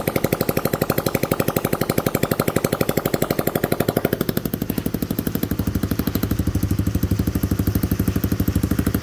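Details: Rebuilt Honda Cub-type small single-cylinder motorbike engine, rope started, exhaust just pressed on and not yet bolted; even putter about three beats a second, no knock or miss, runs very smoothly.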